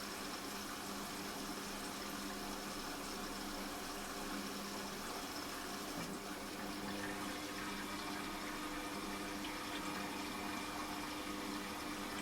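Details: Washing machine after fitting a replacement drain pump, water filled to the bottom of the drum and pump triggered on spin: steady low hum with rushing water and a faint even whine; the new pump runs smoothly and drains normally.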